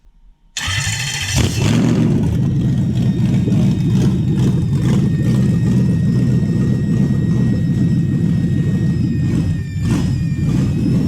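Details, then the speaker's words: Toyota 1UZ-FE V8 during an IACV idle stepper reset: starts and settles into a fast, rough cold idle with a thin high whistle over the exhaust rumble, suspected vacuum leak from old gaskets, to be found with brake cleaner. "hopefully you could hear the whistle over the exhaust"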